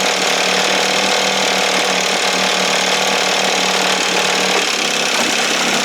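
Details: 1968 Evinrude 6 hp two-stroke outboard, restored, on the stand at a steady fast idle, feeling warm: raspy but even buzz with no misses or knocks; running fine.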